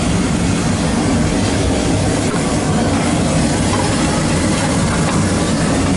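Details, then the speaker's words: Boiler burner firing after 40-gallon Megastor storage tank replacement, high limit set at 180, heating the tank: steady even low roar without pulsing, rattles or surging; normal burner operation. "Heat. Heat. It's heating up, mama."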